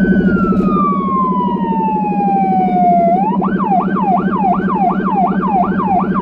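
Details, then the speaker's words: Small emergency car in Budapest with a Federal Signal Rumbler (180–360 Hz) beside the high-pitch siren, recorded from inside, where it sounds softer. A falling wail switches to a fast yelp at about three times a second over a deep throbbing low tone: both working. "You might notice the low end siren faster as it is not quite the typical siren that you are used to, as well as it is way more powerful."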